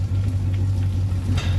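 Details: 2008 Malibu Wakesetter after its transmission shift problem (forward/reverse solenoids) was resolved, at idle pumping water: a steady low rumble with one soft shift thump into forward, no grinding or stalling.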